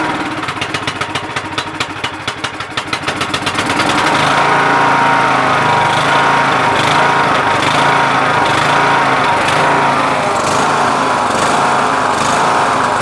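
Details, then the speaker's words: MTD Yard Machines tractor, 20HP Briggs Intek, another replacement carburetor fitted, engine cover off: cranks, catches at about four seconds and settles into a steady, even full idle without surging. It ran better with the choke partly closed. "So this is a full idle. I'm gonna shut it off because I don't wanna run it too hard and too long without the cover on."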